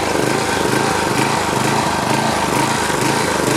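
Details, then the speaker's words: DR Trimmer/Mower model 60B, about 1997, during oil change after freeing cable with WD-40: small engine speed pulses up and down about twice a second at idle instead of holding steady; still surging, cause unconfirmed. "all right let me finish the oil and put some new stuff in there all right still pulsing"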